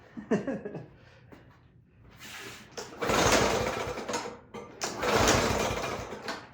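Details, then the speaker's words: Toro lawn mower before tune-up, gas confirmed; two long rasping recoil pulls, engine never catches, no-start; dirty, wet air filter found afterward, suspected to stop it breathing. "All right, doesn't want to start, so we'll take off the air cover filter, or the air cover."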